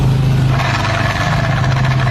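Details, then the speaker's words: Honda scooter CVT revving: rough droning growl from the drive side over the engine note; strange CVT noise, suspects include clutch outer, transmission bearing, drive facing, fly balls, clutch; worn transmission bearing suspected. "Strange noise from CVT. Something is wearing out. Clutch outer. Transmission bearing."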